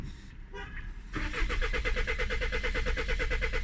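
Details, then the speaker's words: Citroën C5 2.0 diesel, automatic, with glow plugs, compression and fuel filter checked okay and air in the fuel line: starter turns evenly, about three pulses a second, with or without preheat and starting spray, but never fires. "et voilà il se passe rien tentative s'empresser fages ça tourne ça tourne ça tourne ça tourne mais rien de ti vct avec préchauffage"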